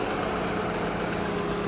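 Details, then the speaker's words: 2005 Land Rover Freelander, Rover 2.5, idling at 94° ambient: steady even idle with smooth low hum, no knocks, ticks or misses; engine runs normally. "I am idle I'm doing the most dangerous thing you can do in a Land Rover product it's 94° and I am idling the engine of my new best car a 19 2005 Freelander"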